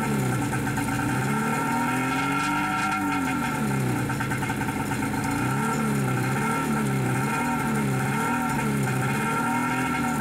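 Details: Sitting Wave Raider two-stroke personal watercraft after Seafoam fuel treatment: raspy engine pulls steadily as revs rise and fall with throttle, no knocks or misfires, cooling water flow questioned but running healthy.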